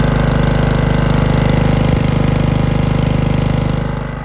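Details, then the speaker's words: Honda-engined hookah/snuba diving air compressor started cold, with both gauges at zero, building about 150 psi from a dead start. Steady rapid single-cylinder chugging, easing slightly near the end: smooth and healthy. It will supply two to three divers. "all right that's 150 pounds from a dead start with no error in it whatsoever in my regulator"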